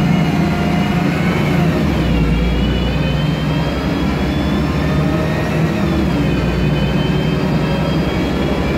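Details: MAN Lion's Classic CNG city bus, MAN E2876 LUH03 EEV turbo engine, Voith DIWA 864.3 four-speed automatic: heavy engine drone under a siren-like whine climbing in pitch as the bus pulls away, then again; noisy Voith gearbox.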